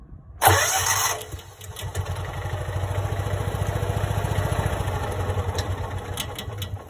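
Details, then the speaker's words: Kawasaki FE290D engine in John Deere Gator with failing ignition coil, losing spark at high throttle, fuel ruled out: single catches with loud burst, then rough uneven running with wavering low thump; runs and dies, backfires. "i'm going to crank it and it'll lose fire and die and it'll recrank it'll have fire and die"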